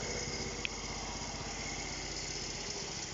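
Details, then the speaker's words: Restored 1971 Honda C50 after electrical no-spark problems were fixed: small single-cylinder putters at a steady, even idle with no misses or knocks; running nicely. "just cleaned it up a bit and painted it seems to be running nice now"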